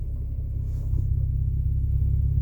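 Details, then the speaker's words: 2006 BMW 325i manual at idle: smooth steady low hum with no chatter while the clutch is held down; the chatter returns on release and is worse on hot days, owner suspects the throw-out bearing or something related. "there's just a little bit of chatter coming from the transmission or the clutch I really think this is the throw out bearing or something related to that"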